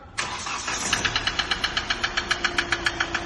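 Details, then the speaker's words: Hyundai i20 whose failed oil cooler sent engine oil into the coolant tank, so it ran short of oil: just after starting, a sharp metallic knock repeats about four times a second over the idle, a connecting rod knock. "பாருங்க மக்களே, கட்டான்னு அடிக்க பாருங்க. இந்த மாதிரி ஆயிலே இல்லாமல் ஓட்டி, so அது ஃபுல்லாக வந்து கூலண்ட்டில் வந்ததுனால இன்ஜினுக்கு ஆயில் பற்றாமல் கனெக்ட் ராடோட நாய்ஸ் வந்துச்சுங்க வண்டியில்."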